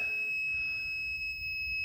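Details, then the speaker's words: Steady, unbroken high-pitched beep in a quiet cab from a Lokar shifter neutral safety switch; after bending the shift linkage and setting the switch, it is working normally. "You could hear it went quiet. That's neutral, so you should be able to start the truck."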